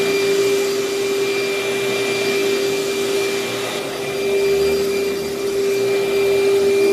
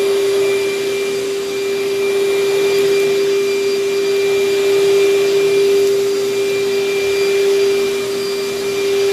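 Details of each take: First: Older Panasonic upright vacuum, paper bag about a third full: steady high motor whine with a faint wavering drone as the brush stops and slows; the drive belt is slipping and needs replacing. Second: Vacuum with bag about a third full, belt well tensioned: steady even motor whine with smooth airflow rush; suction strong, running normally.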